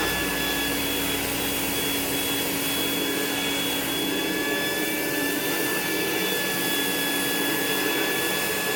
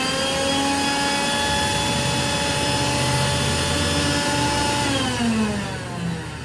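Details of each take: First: Rainbow E2 Gold two-speed vacuum cleaner after rebuild (HEPA filter, belt, brush roll replaced, motor parts washed, lower motor bearing repacked) and with water in the basin: smooth, even motor whoosh with a steady high whine, no rattle or grinding; normal running. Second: Rainbow E2 Gold two-speed vacuum cleaner before rebuild, motor fan area caked in dust: steady high motor whine with a rough, gritty edge that sags as it winds down; lower motor bearing has dried out and lost its grease.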